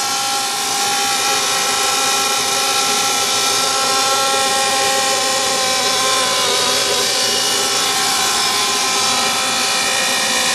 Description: Furnace noise. Only occurs in heat mode and at startup before blower starts.